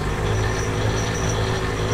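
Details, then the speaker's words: Ram 1500 Sport with the wheels lifted and spinning free in gear: steady low drone with a faint rough hum. Owner suspects the front differential, which is not turning. "I think that's the diff. Oh. Haha, past the camera. You guys can see it right there. It's going into the front diff, nothing spinning. Man, that sounds brutal. I can't believe the noise that's making."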